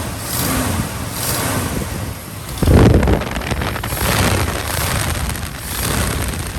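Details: 1967 Ford F-350 Custom that sat about 10 years, running on its old uncleaned ignition points: catches and settles to a fairly steady low idle with wind buffeting, no knocks; normal idle. Carburetor accelerator pump diaphragm leaking badly.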